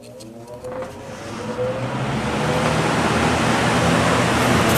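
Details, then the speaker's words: Vintage Lasko box fan, model 4713, 1983–1984 date code, after motor repair, starting up on high: air rush builds as blades spin up over a soft motor hum, smooth with very little wobble; normal running. "and it's actually pretty smooth does not wobble very much at all"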